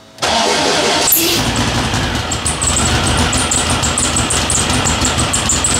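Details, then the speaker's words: Turbo VW Beetle, not yet dyno-tuned so expected to run a bit rich, cold start during oil change (Lucas 10W-30): brief cranking, catches at once, busy slightly uneven cold idle with exhaust crackle; normal quick start. "so there's going to be a little bit of richness a little bit of black smoke smoke maybe when I started her up so yeah enjoy the cold"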